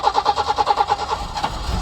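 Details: Peugeot 505 V6 manual with a hard-start issue, unused for over two months, engine ECUs just disconnected and reconnected: steady cranking pulses about ten per second, then it catches at around one and a half seconds and settles into a low rumble.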